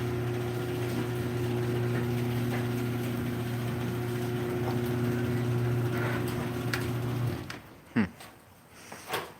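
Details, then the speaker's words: Garage door opener opening the door: a smooth, even low hum for about seven seconds with no buzz or rattle. Unlike on closing, it is nice and quiet on the way up: normal opening run. "It doesn't do it on the way up, I don't think. Nope. It's nice and quiet on the way up."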